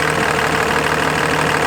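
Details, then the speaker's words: Diesel truck with newly installed compound turbos, restarted; loud, even, steady clatter with no misses. Normal idle. "everything pushed back to the system I mean right there it started up perfectly normal"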